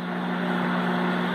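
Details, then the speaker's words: Microwave after repair of a no-function, breaker-tripping fault (faulty door switch), running a 30-second heating test: steady low mains hum with even fan whir, no buzzing, clicking or arcing; heating normally. "Beleza então vou mostrar para vocês aqui vou ligar que ó ó já ligou ele colocar para ligar para 30 segundos aqui ok funcionando beleza perfeitamente ao ventilador rodando lá tá aí"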